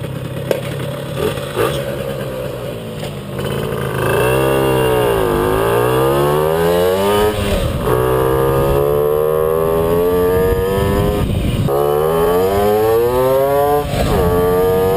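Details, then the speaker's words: Puch Maxi moped "Jägermeister", two-stroke, on a second test ride after fixing an ignition misfire. It rises smoothly and drops off clean, with no stuttering or coughing. Repaired and running normally. "so das war's mal wieder mit einer Folge zur Jägermeister ich bin mit den Resultaten wirklich sehr zufrieden sie hat ein sauberen Abzug kein stottern und kein Husten mehr"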